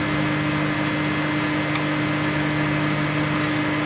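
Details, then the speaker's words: DIY 5000 W BTL power amplifier kit: steady low buzzing hum; grounding the transformer CT to the chassis only reduces it; the hum disappears with the input disconnected, so the problem is at the input. "Ya, suara dengungannya tidak hilang 100%, cuman berkurang."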